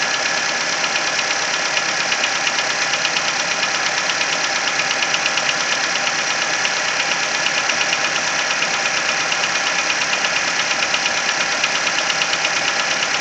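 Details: Nissan Versa engine at cold idle: crisp, steady tapping a bit under two per second, plain as revs drop; top-end tick from around cylinder 3, lasting the first 10–15 minutes of driving until warm.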